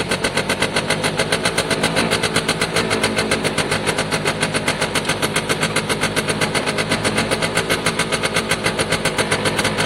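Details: Piaggio Diesis 100cc two-stroke scooter, battery out, possibly on choke: fast, crisp, even popping around idle, smoking. The oil light flashes though the oil level is fine; normal running.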